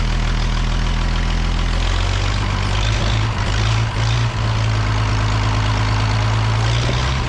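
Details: The Rockabilly Rat, an old truck engine, runs evenly at idle after getting spark to the plug: a steady low rumble with no misses or knocks; running properly now.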